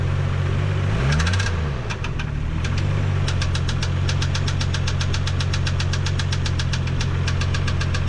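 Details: 1987 MK3 Supra Turbo idling: a sharp, fairly even ticking knock over the rumble after a blip, coming and going. Owner first suspected valve train, later found it is in the block, possibly a spun bearing.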